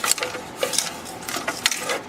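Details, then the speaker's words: Mills Novelty Company Violano Virtuoso violin: light, dry clicking rattles in bursts as it is shaken, from a rattlesnake rattle loose inside the body. "Can you hear that rattling around in there? As soon as I hear that, I know what it is. It's a rattlesnake rattle."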